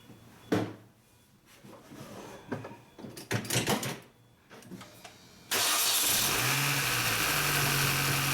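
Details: 2006 first-generation Mini Cooper S started right after an oil change with Pennzoil Euro L 5W30 and Mann filter: quiet clicks, cranks, catches cleanly and settles to a smooth even idle, no knocks; normal start.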